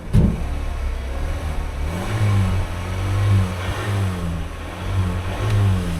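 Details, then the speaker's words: 2019 Jeep Wrangler Unlimited Rubicon with 54K miles, sold as having a noisy motor: it starts and blips up and back down cleanly with a steady, even note and no knocks or rattles. The motor sounds good, and a scan shows no codes. Normal engine revving. "motor sounds good let's give her a scan"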